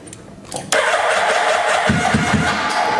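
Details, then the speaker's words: Wrecked 2011 Suzuki Hayabusa GSX1300R on a boost pack: fast, even starter cranking, engine turns over but never fires; bad gas in tank, fuel pump possibly bad, weak battery or connection suspected. "But it's not firing up. It's got some bad gas in the tank. I don't know if uh I don't know if the fuel pump is bad, but it does turn over."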